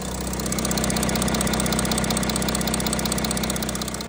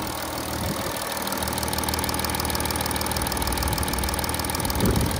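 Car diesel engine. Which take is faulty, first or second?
second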